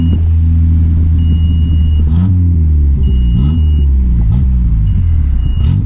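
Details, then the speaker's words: Mitsubishi Conquest turbo (G54B), after swapping fuel pressure regulator: low drone wavers and sags unevenly under a repeating cabin chime; stumbling, owner suspects it runs so rich it chokes out, AFRs erratic, fuel pressure correct. "so I'm pretty much at a loss I don't I don't know what else it could be it's just it gets so rich that it like I don't know chokes itself out"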